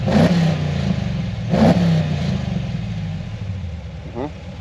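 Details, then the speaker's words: AWD Dodge Charger with HEMI V8 and aftermarket headers, in for HP Tuners tuning. Two sharp throttle blips heard from the rear fall back to a lumpy idle. The note is raspier than stock; the headers change the exhaust sound. "Teeb natuke teistsugust häält küll, kui originaalis teevad. See header juba mõjutab."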